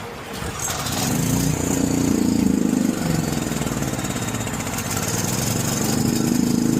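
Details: John Deere 6200-watt generator with its carburetor varnished by four-year-old fuel. After cleaning and adding gas, it runs unchoked with a wavering, hunting drone that rises and sags. The outlets give no power, probably because of high RPM.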